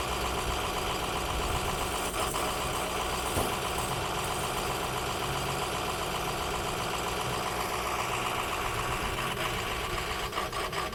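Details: Ford F-350 6.0L diesel work truck with plumber's body, left idling on a cold day; uneven, stumbling sputter; owner suspects dirty or faulty injectors, bad fuel, water in fuel, clogged fuel filter or a bad sensor, not confirmed.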